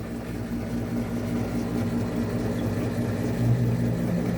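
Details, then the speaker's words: Whirlpool top-load washer, complaint of grinding when motor runs, in diagnostic test mode: smooth even low hum from the drain pump, no grinding or rattling; agitating and draining normally. "So right now the motor's agitating okay. Draining okay."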